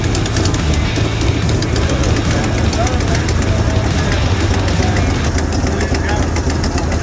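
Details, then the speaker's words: 1968 Ford Mustang 289 V8, first start after new spark plug wires: steady rough idle with a light, fast ticking about two a second on top; a noisy lifter at idle. "That sounds pretty good too. Got a little bit of a lifter kick over here."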